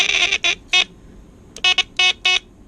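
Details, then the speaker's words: 1963 Lionel Alco FA 218 Santa Fe toy locomotive, C-cell battery horn that was out of adjustment, after tightening the adjustment: a sharp raspy buzz in short bursts, a steady high reedy tone each time. The horn buzzer sounds properly. "Tighten it a little bit more. That sounds pretty good."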